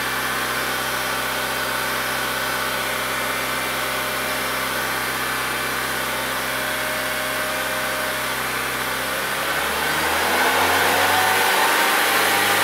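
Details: 2004 Honda Civic 1.7, roughly 200,000 miles, running again after a crank/no-start repair and warming up: steady, even, smooth idle with no misfire, knock or hunting. Fuel trim is about 10%; normal idle.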